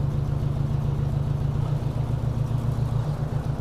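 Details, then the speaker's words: 1957 Ford Workmaster 601 (series 641) tractor, Marvel-Schebler TSX 765 carb, cold start at about 24°F on choke: low chugging idle with an uneven pulse and dropped beats; misfire at idle persists after new spark plugs, carb suspected, going for rebuild. "we're going to go ahead and start this up see how it sounds we will need the choke because it's so cold you hear that kind of a Miss pulse and that's just at an idle"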